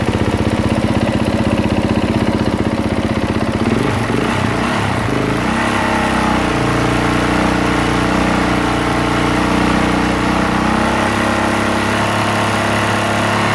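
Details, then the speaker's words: 2023 Honda CRF450R single-cylinder, brought in as a no-start, tried on a borrowed lithium battery reading 13.8 V: it catches and settles into a steady, brisk idle with an even thump; voltage rises while running, so the charging system is good. "system is good the voltage was going up as she's running you see I shut it down shut it off and now the bolt is going back down so it is charging the battery"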